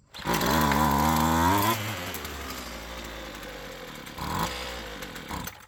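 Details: Roadside-found Poulan Pro PP28 two-stroke string trimmer after carb work, primer bulb full, full throttle: screams briefly then sags to a rough, wavering lower run, keeping going only on ether starting fluid; cause suspected, not confirmed.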